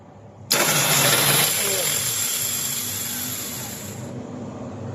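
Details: Volvo L220H wheel loader with intermittent starting after the loose solenoid bolt was tightened and the pinion serviced: a sudden hard whirring burst fades without catching, the starter spinning but not turning the engine.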